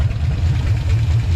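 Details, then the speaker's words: 1956 Chevy 150 with a 35-year-old V8, just started with no adjustments, running on the fuel pump, timing not yet set; deep steady rumble, even beat, no misses or knocks, ignition working: normal idle. "No adjustments. We just started it. I'm so happy. That means the ignition's all working good."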